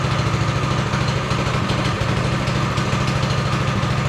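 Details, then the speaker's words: Go-kart single-cylinder engine after carburetor refit, started on choke with fuel on, warming up: steady even putter at constant pace, no misses or surging; normal warm-up idle. "okay so choke on fuel on there's your throttle starting switch needs a new starting switch let's go for it it is warm up a little"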